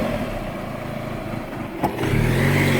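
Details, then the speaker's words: 2006 Chevrolet Cobalt SS idling right after throttle body replacement, during the 3-minute idle relearn: note sits low then swells as revs climb on their own, idle hunting expected before relearn completes. "after you install your throttle body you're supposed to let it idle for 3 minutes and it's going to bounce like it is now but"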